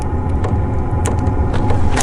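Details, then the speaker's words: Chinese diesel heater on cold start in evening cold, about five minutes into its warm-up cycle: light, fairly even ticks about twice a second over a low steady rumble, the fuel dosing pump clicking normally. "all right she's getting going now it's been about five minutes if you listen you can hear the fuel pump ticking there"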